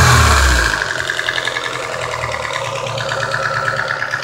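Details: Nissan SR20DEH: engine catches, then idles with a rapid, slightly uneven chirping pulse on top; abnormal noise, cause not identified.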